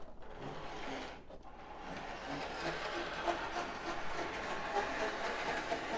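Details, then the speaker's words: Prewar Lionel 259E locomotive after drive gear repair, running on track: faint, uneven rasping grind, roughly three or four scrapes a second; goes around fine but worn drive gears still grind slightly. "you may be able to hear it make its noise that's the noise it makes so i guess it goes around fine it just it just grinds a little bit and i don't like that shouldn't be doing it"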